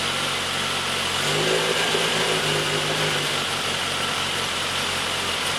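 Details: Triumph Herald 13/60 with freshly rebuilt Spitfire-spec engine, first start: catches and settles to steady even fast idle on choke, no knocks or misses; exhaust leak and rear head core plug water leak noted. Normal running.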